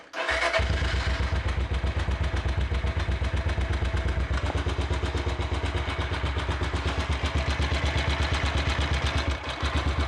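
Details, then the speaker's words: Small motorcycle kicked into a steady idle after apparent flooding: even single thumps about two and a half a second, no loud top-end tapping; sounds a lot better, idle maybe still slightly high. "sounds a lot better though it sounds a lot better"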